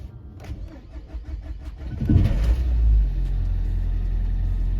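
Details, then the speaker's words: Category C Nissan Juke with a long-standing starting issue, after new battery and fresh fuel: starter cranks slowly and evenly about two seconds before the engine catches and settles into steady idle; extended cranking, cause unknown. "Let me crank it over one more time. Yeah, it does take a little bit long, guys, but she does fire up, as you can see."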